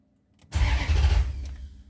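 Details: Maserati GranSport hard to start: a short crank burst and a rumble that fades within a second, never settling to an idle. The engine is reluctant to start; the cause is suspected, not confirmed.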